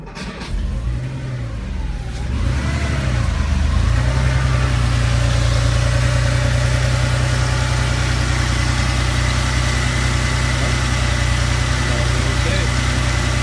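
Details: First start after repairing a walked-out #2 rocker shaft: brief crank, catches within seconds and settles into a steady, even low idle with no ticking or knocking; normal start and idle.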